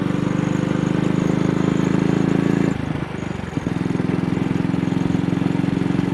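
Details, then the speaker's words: AJS motorcycle riding, after the carburettor slide was cleaned and the throttle cable rerouted: rapid thumping that drops out for about a second at very slight throttle openings, and the throttle still sticks. Misfire under load. "Now it's developed this misfire. It only seems to be happening on a very slight throttle opening."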